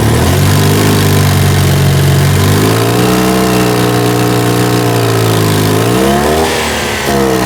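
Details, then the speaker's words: 2CV-based Falcon S flat-twin kit car abandoned for 23 years, first run as the carburettor cleans out: a smooth, even beat that rises and settles with throttle, no misses or knocks, solid exhaust. Normal running and idle before a problem forced engine-off. "so she's up and running she's sounding sweet but unfortunately for you car that is the end of running that sounds so sweet beautiful exhaust is solid"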